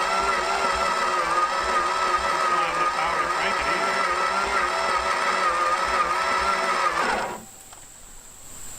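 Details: Thunderhead 289 engine being revived after long disuse. Sluggish, even chugging about four a second under the starter whine, then it cuts out; low voltage while cranking is suspected, cause unconfirmed. Slow cranking.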